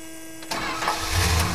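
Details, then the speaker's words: Chrysler 440 RB V8 with gear-reduction starter: short crank, then it catches quickly and settles into a smooth, even idle. No ticks or knocks; normal start and idle. "no ticks no knocks [Music] nothing just smooth 440 power and a great exhaust note"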